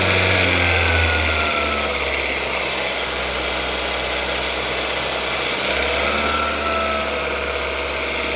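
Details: Skoda Rapid 1.6 16V CFNA, warm, after exhaust welding, backpressure gauge in upper O2 port; smooth even hum swelling briefly with a light rev and settling cleanly, no knock or tick; sound normalized, normal idle.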